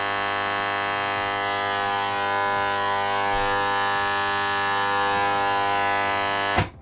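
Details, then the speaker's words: Vintage Marantz 2330B receiver (130 W per channel into 8 ohms) driving speakers at power-on. A loud, steady buzzing hum with overtones from one channel only, unchanged until switch-off; attributed to dried-out filter capacitors. "like this noise is coming only from one channel i didn't expect to have that noise"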